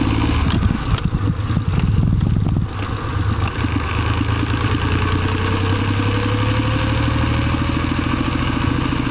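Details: Suzuki Celerio: clattering start settling into steady idle with a faint rising rubbing whine underneath, friction noise inside the gearbox.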